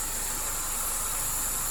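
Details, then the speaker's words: Toyota Corolla (All New/Great Corolla) at idle with the AC compressor on; steady, even airy whoosh from the radiator fan running normally at low speed, with no surging or rattle. "nah ini kita bisa kita lihat ya Ini low ini masih kecepatan rendahnya"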